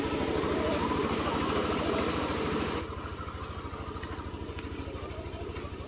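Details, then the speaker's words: Yamaha Aerox scooter at about 4,000+ km on the odometer, just after its 3rd oil change and an oil-indicator reset, first start: an even, fast putter with steady low pulses that never stumble, softening slightly after a few seconds. A smooth, normal idle at about 1,900 rpm. "Yan yung unang tunog niya guys. Oh. Lambot. Ganito ka bilis yung idle niya."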